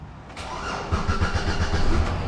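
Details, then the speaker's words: Saturn Aura GM 3.5L V6 after a no-crank fault traced to a bad starter and cable connections: starter spins briefly, engine catches within half a second and settles into a steady idle; normal start. "how it lives we have created life again"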